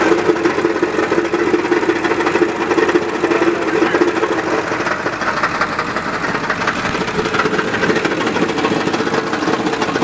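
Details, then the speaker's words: 2003 Ford F250 with 7.3 turbo diesel, automatic, 160k miles, recently had its oil pan replaced: loud, uneven knocking and banging at idle, about two knocks a second over normal clatter, which goes away when rpm is raised. "Okay, but if we add RPM, it goes away. It does have to rump a little bit. It starts banging around. That was pretty ugly."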